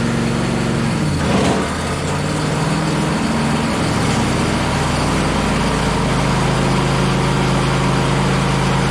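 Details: John Deere LA135 SE lawn tractor single-cylinder engine on a run test after summer maintenance: it catches and settles into a steady, even run with no knocks or misses. Normal running.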